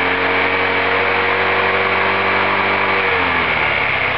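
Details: Roketa MC-54-250B scooter with 1730 miles that stalls at every stop; both intake and exhaust valves had zero clearance at TDC and were fixed by adjusting them. Small revs with a harsh, uneven edge that sag: rough running from zero valve clearance.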